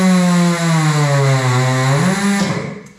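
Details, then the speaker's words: Coats rim clamp tire machine air motor, just oiled by pumping the pedal. Strong steady whir dips slightly under load, then spins down cleanly. Runs much stronger and healthier after oiling: normal air motor run. "I think it's running much stronger that sounds just way healthier"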